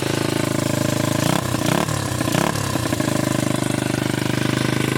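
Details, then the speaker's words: 1981 Honda XR80 four-stroke single after freeing a stuck float: first kick, no choke, evenly thumping brisk idle, steady with no stumbling, no smoke; idle set slightly high. "Oh, first kick, baby. No choke, no joke. Idle might be a little bit high, but"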